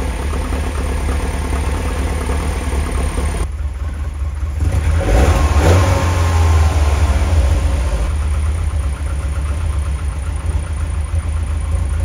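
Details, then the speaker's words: Lotus Elite after oil, filter and belt change, adjustment retried at 14 after a setting of 16: even steady idle with a brief blip settling smoothly, no hunting or misfire; sounds much better. "now that sounds much better to me"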